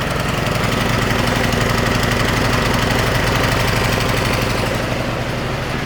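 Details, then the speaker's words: Non-starting snowblower small engine on a trial BPR4ES plug with starting fluid: rough uneven chugging about four beats a second, smoking heavily; oil level a hair high. "I actually ran there for a minute it's really smokes a bit certainly smokes a lot"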